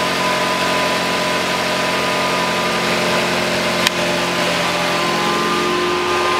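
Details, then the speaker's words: 2009 Nissan Qashqai 2.0 petrol 4WD CVT, 142,000 km, after CVT oil and filter change, engine idling cold; steady faint whine at constant pitch from the variator when cold, which goes away once warm. "какой-то вот Звук есть в вариаторе на холодную Если вы слышите такой вот потом он проходит"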